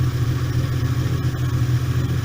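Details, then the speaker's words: VW T3/T25 Vanagon with Subaru H6 3.0 swap, warming toward mid-temperature after the starter motor was changed: revs still drift slightly but the steady, smooth flat-six idle is much more stable; owner thinks the starter may have been the erratic-idle cause. "up and down still, but I don't know whether you can hear, basically it's much more stable and idle. Amazing what changing the starter motor has done for it, actually."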